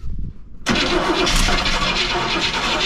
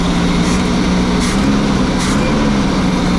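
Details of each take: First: Motorhome engine with HEI ignition after sitting over 10 years, cranked on starting fluid: starter churns about four beats a second, engine coughs but never catches; ignition good, fuel starvation. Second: Motorhome first start after sitting over 10 years: big V8 idling with a steady, even low rumble, no knocks or ticks, smooth and healthy; a little smoke, and the owner suspects a small oil leak; normal idle.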